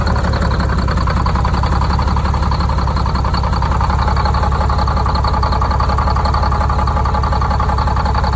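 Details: Detroit Diesel 6-71 two-stroke, first start after new 4-valve head and Davco 382 fuel filter install, valve cover off so not revved: deep, steady, smooth idle with no knocks or misses; idle set via buffer screw, good oil pressure; normal idle.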